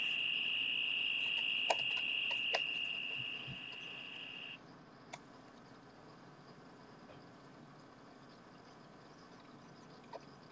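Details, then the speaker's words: Maxitronix 10-in-1 kit one-transistor radio with diode detector, earphone on terminals 14 and 15: a loud steady high-pitched whistle for about four seconds, then faint hiss; it squeals instead of receiving stations. "And there's nothing coming out of the earphone yet. So, power. Well, it's very loud. Very loud."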